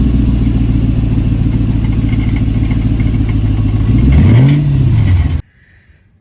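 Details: 100 Series Land Cruiser, engine running before muffler replacement: deep loud gargling rumble pulsing about three times a second, then cuts off; rusted-through holed muffler leaking exhaust and rattling.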